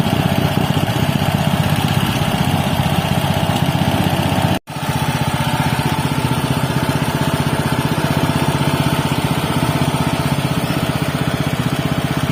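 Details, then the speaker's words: Robin Subaru EX21 7 HP 211 cc air-cooled four-stroke OHC single-cylinder horizontal-shaft engine, CDI ignition, not new: steady, even putter at constant speed with no knocks or misses, still very smooth; normal running. "seperti itulah tadi temen-temen bunyinya dari Robin ex21 ya walaupun bukan dalam kondisi baru tapi terdengar suaranya itu masih sangat halus yah dibandingkan dengan yang lain"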